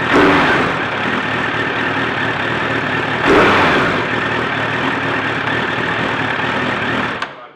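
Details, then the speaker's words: Classic Suzuki Bandit motorcycle at idle after carb balancing and fine tuning, tick-over set to the right level: smooth, even idle with no misses, hunting or surging; carbs balanced, normal idle. "Okay, so that's all balanced up. I've got the tick over at the right level."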